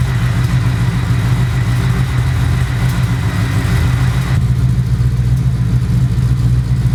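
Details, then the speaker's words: V8 with new homemade stainless X-pipe exhaust: loud deep even burble, free revving, no misses; still loud but acceptable; lighter whir under it, possibly water pump or alternator; normal. "actually sounds like you can hear what sounds like a water pump maybe over the exhaust or maybe it's the alternator whatever it is it's lighter than the exhaust is"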